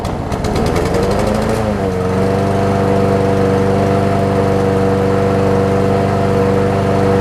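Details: Troy-Bilt XP push mower that had been extremely hard to pull; a broken 25mm blade adapter (blade key) was found and replaced. The engine catches after a short pull, fires right up and settles into a steady, even drone with no knocks or misfires.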